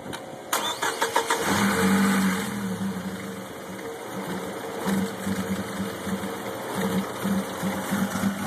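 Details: 2005 GMC Canyon I4 suddenly idling roughly, also rough below 2,000 rpm: cranks and catches, then a shaky stumbling idle as if not firing on all four cylinders; owner suspects a valve seat issue, unconfirmed.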